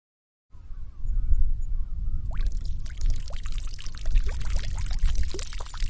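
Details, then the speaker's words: 1980s Honda XR250R dirt bike with a no-start fault, carburetor reassembled and float level being checked on the bike, engine off: steady splashing pour with spattering drips. Fuel is gushing from an unclamped line at the carburetor nipple. "okay so I hope that you got the message from the waterfall and the mayday mayday the engine room is leaking"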